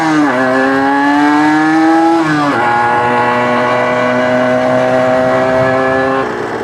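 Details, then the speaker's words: Suzuki RG125 two-stroke with fresh top end, test ride: crisp note revving cleanly up and down through the gears without bogging; rides much better, main jet may go from 195 up to 200–210. "It rides much better. Much better. I think we want to look at changing that main jet up to a 200 from a 195, or maybe even a 205 or a 210."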